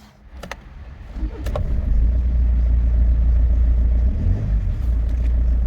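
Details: Rover: steady low even rumble settles in after start-up with no misses or knocks; engine idling smoothly and sounding healthy.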